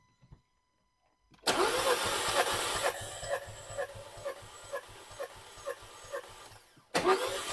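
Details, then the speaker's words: 2015 Nissan Juke 1.2 broken down with misfire codes P0300/P0304, during a compression test: steady cranking with even pulses about four per second, cylinders reading about 175 PSI, battery slightly tiring; cylinder 4 later read about 40. "it's about 175 PSI that's mean they're good that's definitely good and the same again okay exactly the same"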